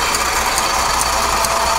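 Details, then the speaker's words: South Bend flat-belt-driven lathe turning a welded shaft for a Farmall Super M rebuild: steady whirring with a crisp tick about every half second as the belt lacing passes the pulley; normal running. "there's just something about the tick of an old flat belt driven tool i love it you hear that lacing coming around tick tick tick tick just sounds right"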